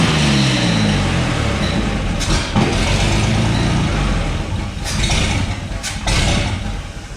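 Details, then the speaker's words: 1962 GMC 2-ton truck 305 V6, about 50 years old, salvaged from scrapping: low, steady rumble with brief throttle blips then even idle; runs healthy, though likely needs starter, accelerator pump, carb rebuild, plugs and wires. "probably could use plugs and wires and several other things but hey it runs"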